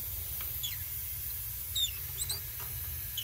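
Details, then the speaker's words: Steam boiler being fired, reused Hoffman 4A radiator vent leaking: steady high airy hiss of escaping steam, fogging a mirror, over squeaking from the gas meter; failed vent to be replaced as failed vents destroy boilers. "that is a failed vent. Failed vents destroy boilers."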